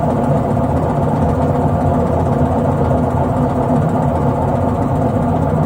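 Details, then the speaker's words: LG direct-drive washing machine drum spinning at 400 rpm: a dense, steady low rumble from worn drum bearings. The sound grows louder at higher speeds. "это звук при 400 оборотов в минуту при более быстром движении барабана звук усиливается но в принципе здесь хорошо прослушивается"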